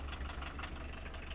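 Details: VW T3 van running again after a day-long no-start fixed by taking out the starter: low, even idle rumble with steady beat and no knocks or misses; engine running smoothly.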